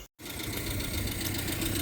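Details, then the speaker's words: 1994 Renault Twingo 1 Phase 1 after reassembly and fresh oil and air filter: steady, even idle with a fast regular tick, no stumbles or knocks. Idle is slightly too high and needs lowering. Normal idle. "Écoutez-moi ce petit bruit, c'est un rêve. Elle tourne comme une horloge."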